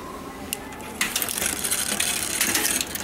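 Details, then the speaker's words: Bicycle being pedalled while checking front shifting into the middle ring: light steady chain whir with fine ticking, no skipping or grinding; this gear noise is common and varies with the rear gear selected, so it is normal. "Now that little bit of noise is common. You will hear that gear noise depending on what gear you're on in the back."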